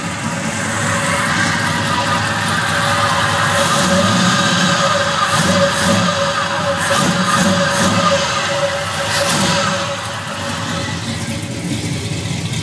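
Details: 454 big-block gear-drive V8 just swapped from a Suburban into a Chevelle, first fire-up with burn-off: barking through revs with a crisp, steady gear whine over it; healthy gear-driven timing set.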